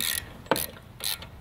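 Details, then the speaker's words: Toro Grandstand mower with a Kawasaki FS691V engine, jump start tried: sharp clicks roughly every half second with no cranking or turnover; starter appears dead, needs replacement. "a twirl grandstand with a Kawasaki at starter appears to be dead all guns clicking tried to jump us out"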